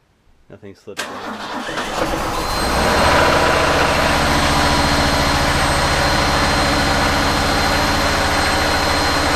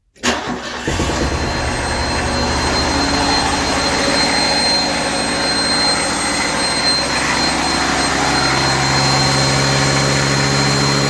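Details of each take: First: Refurbished truck finally starting after earlier no-start troubleshooting, clutch pushed in hard; a few slow cranks, catches near two seconds, settles into steady even idle; coolant not yet filled. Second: Refurbished truck just started, coolant not yet filled; cranks, catches and settles into uneven, lumpy idle with wavering beat, smoke and much liquid coming out, no ticking.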